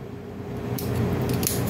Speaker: the relay grounded and it's all no it's on you hear the click so there's no more power here but there's power here now